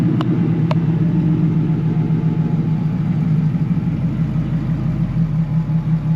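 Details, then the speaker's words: 2003 Ford F150 Lightning V8 tuned on E85, with a Bassani muffler, J&L catch can, ice box and AFCO heat exchanger: deep, steady rumble at a smooth idle with no ticks, knocks or stumbles; healthy modified exhaust note. "I'm gonna have him turn it on so you guys could hear what this truck sounds like. Has a Bassani muffler."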